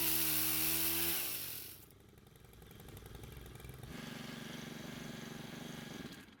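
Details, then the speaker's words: Stihl two-stroke pole saw, stored for years and wouldn't stay running, after carburetor repair: revs high and crisp, drops back to a steady even idle, then picks up cleanly with no stalling; normal running. "as you just saw, it started without any issues and it works great."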